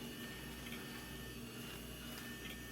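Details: Old IDE hard drive, a Maxtor-group drive that previously beeped, spins up after its jumper was removed, with a steady high whine, a low hum, and no beeps.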